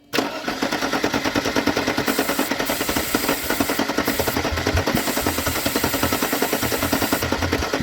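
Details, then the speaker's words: Mercedes-Benz 190e parked since 2008, first start with starting fluid: settles into a steady, even chuffing idle at about three beats a second with oil pressure and no ticking or knocking; runs healthy. "got her let go of the throttle dang it's still idling man that's awesome"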